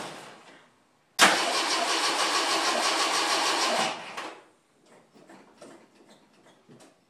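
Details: 1980 Jeep CJ5 cold start after sitting four or five days in a garage through sub-zero nights and about five-degree days; short crank, fires straight away and settles into an even, steady run: a healthy cold start.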